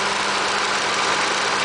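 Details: 1986 Nissan 300ZX turbo at idle: constant ticking/buzzing tone over the engine, owner suspects the AAC (auxiliary air control) valve, source not confirmed.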